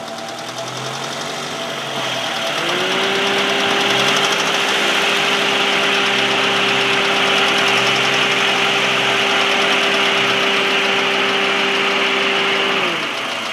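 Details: Engine at idle: a steady hum with a light, regular ticking about two to three times a second; source of the tick unknown.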